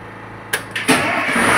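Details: Standby generator weekly check, started with switch set to off: short crank bursts, then catches and holds steady even hum; clean healthy start, then returned to auto mode.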